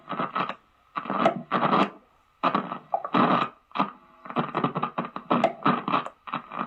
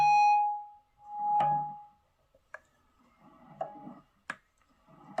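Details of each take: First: Electric guitar on a distorted amp channel: harsh bursts of crackle and hiss cut in and out as the volume knob is turned, from a dirty volume pot. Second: Electric guitar through amp after spraying electrical contact cleaner into the dirty volume pot and output jack: clean notes and strums, no crackle or scratchy dropouts — crackling is gone.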